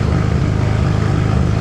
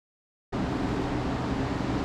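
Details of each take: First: Right-hand-drive Mk3 Toyota Supra, 1JZ, sat 2 years, smoking and burning oil: loud idle stumbling unevenly instead of a smooth beat; rough idle from fouled spark plugs. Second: Toyota MK3 Supra, 1JZ single-turbo kit, which came in smoking and running rough; compression test was good. It catches and settles into a steady, even run, then revs sharply near the end. It is up and running and sounds healthy.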